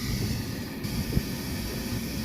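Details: Trane rooftop unit after replacing a failed draft inducer motor, heat now firing in about 30°F weather: steady low hum with an even rush of air, no ticking, scraping or wobble; the new inducer runs smoothly.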